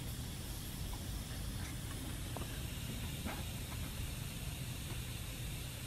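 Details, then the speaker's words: Lokithor JA301 jump starter/inflator (20,000 mAh), opened up for repair: faint steady hiss under low hum as air leaks from the side/back of the cracked pressure sensor housing after top cracks were sealed; owner suspects more cracks underneath. "I fixed the cracks on the top now it looks like it's leaking off the side again oh oh I was leaking in the back here"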